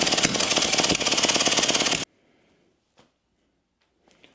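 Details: Early 1950s David Bradley walk-behind tractor engine, sat 20+ years, formerly stuck, good spark: quick even chuffing at three or four beats a second, spinning too freely, then stops; low compression from leaking valves, mostly exhaust valve.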